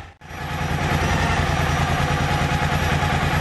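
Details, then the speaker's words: Yamaha T-Max motorcycle at idle and raised rpm, charging voltage 13.4 V at idle peaking 15.1 V: steady thrum with thin high whistle on top that grows with rpm; the fuel pump whines abnormally loud. "E o barulho, olha aí, da bomba. Olha como assovia. Realmente está bem estranho isso aqui, tá?"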